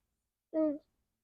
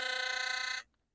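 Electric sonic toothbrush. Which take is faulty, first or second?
first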